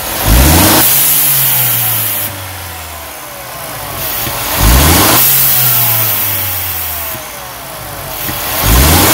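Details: Mercedes-Benz CLA 250 after installing a diverter valve spacer: engine blipped repeatedly about every four seconds, each rev dropping away with a short airy release; turbo diverter valve venting normally.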